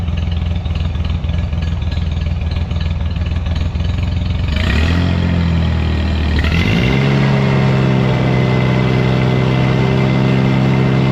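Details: Scag lawnmower engine after cutting off muffler whose broken baffles likely restricted exhaust and caused rough idle and low power: settles, throttle picks up, smooth even run without stumbling; runs healthy after repair.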